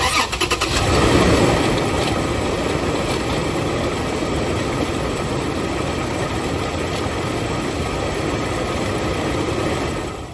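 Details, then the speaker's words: 2007 Toyota RAV4 started cold, rough idle with grainy growl; water pump pulley wobbling a lot, pump leaking coolant onto the belt, before replacement; worn water pump bearing. "Alright guys, so as you can see, the pulley was moving a lot, the water pump, and it was making a lot of noise."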